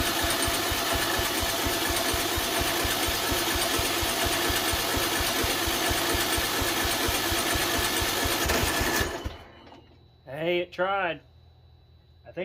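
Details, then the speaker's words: Poulan Pro riding mower, 17.5 hp Briggs & Stratton, 2005, on choke after linkage repair: rough sputter about four pulses a second then dies; flooding suspected, coil adjustment next; sputtering on start attempt. "think we flooded it whenever it was letting the fuel run in oh I lit up a little bit"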